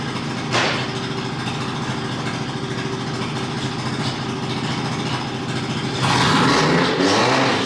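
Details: Mazda RX-8 rotary, hard cranking with no start: steady starter chug around three and a half beats per second, tone shifting and bogging with throttle, never runs. Owner suspects it needs plugs or isn't getting enough fuel.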